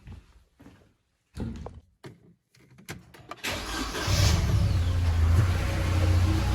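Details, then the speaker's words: SsangYong Kyron 2.3 petrol, 69,000 km, running after start: a steady knock of about four beats a second seems to come from the timing chain or thermostat area. Pump replacement didn't cure it; it is the belt tensioner damper knocking, its mount having play. "вот характерный Сток идёт прямо Вот здесь долбит термостат трогает"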